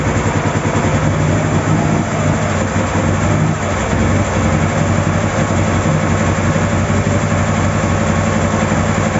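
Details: Ural 650 boxer twin started after a breakdown repair; low even idle thrum, steady firing pulses with no knocks, misses or surging; running healthy.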